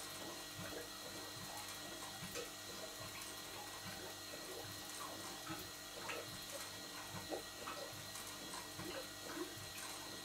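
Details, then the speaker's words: Large model showman's engine, driver's-eye view: steady water gurgle under soft slow mechanical clicks, crankshaft-driven water pump returning water to tank through open bypass; normal running. "the water gurgling noise that you can hear is the crank shaft driven water pump returning the water back to the tank because the bypass is open"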